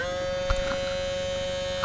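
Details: RCA CMR300 VHS camcorder, recently acquired: steady electrical buzz with a few faint clicks over two seconds; tape mechanism straining, not moving, tape won't eject; owner suspects the belt broke off, unconfirmed.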